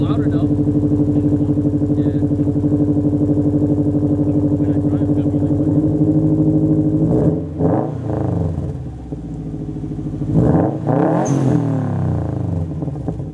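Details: 2007 Subaru Legacy GT spec.B with a Nameless mid pipe and resonator completing a catback exhaust with muffler delete, plus an HKS BOV: steady even idle, then two clean blips rising and falling smoothly; loud straight-through exhaust, engine running healthy.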